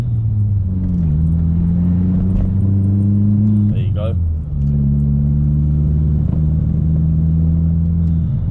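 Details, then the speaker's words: MK4 Golf GTI turbo engine with aftermarket diverter valve pulls hard, then stumbles and dips around 2500 rpm under boost, coughing from exhaust; boost hesitation traced to sticking N75 valve. "two and a half thousand revs fourth was okay then pretty smooth but there's definitely a clear problem there"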